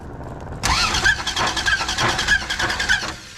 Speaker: so it's already beat up i don't think we can hurt it anymore so we're going to let you hear the demonic sound that he heard that fateful day